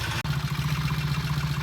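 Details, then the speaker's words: 1968 Triumph T100 twin on a reasonably cold start after sitting three or four days, started after tickling, before a test ride to check a transmission repair: quick, even thumping idle with no misses, rattles or knocks. Normal idle. "all right this is a reasonably cold cold start the bike's been sitting for three or four days bringing up the electric leg good tickle not bad not bad at all idle okay we're going to take it outside"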